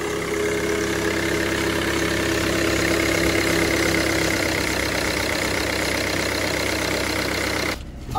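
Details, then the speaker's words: Mercedes W204 C220 CDI, tuned OM651 diesel, after a boost leak repair that had caused limp mode: steady, even idle with light regular clatter and no hiss or whistle. Check engine light gone, no leaks seen under the car. "I'm just gonna let it idle here for a couple of minutes. Just make sure, keep an eye on everything."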